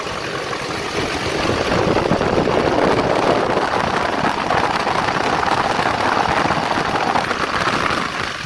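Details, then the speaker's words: Duramax diesel at idle with old fan clutch welded fully locked, driving the fan straight off the water pump, shroud on: heavy steady rush of air swelling loud; fan runs full time, AC needs recharge after blown seal. "so we'll fire it up here and i need to recharge my ac system because it blew up a seal we're moving some serious air now"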